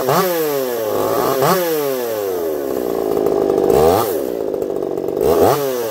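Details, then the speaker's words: Echo CS-4910 chainsaw with taper-top piston/crank swap, test cuts: crisp two-stroke howl through repeated rev bursts, clean and even, no stumble, pulling hard; zero vibration felt; runs a little warm, about 180 psi cold, 170 warm; normal running under load. "I'll be curious to see what you guys think of that one. I don't even think it sounds like a chainsaw."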